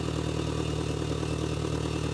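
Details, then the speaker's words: Mitsubishi Galant being fixed for overheating, idling: a quick puffing tick rides on the exhaust note; earlier clanking and squeaking fade once warm. Exhaust leak. "that clanking actually goes away as well but you can hear the exhaust leak but that's not what we're here for"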